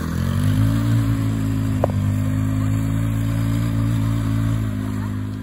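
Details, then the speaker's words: Hammerhead GTS 150 go-kart GY6 single-cylinder after a 155–160 big bore kit; it was smoky and down on power before. Steady high idle then easing off, smooth and even with no rattle or stumble. Normal running, much faster now. "so this thing's a lot faster it works a lot better now"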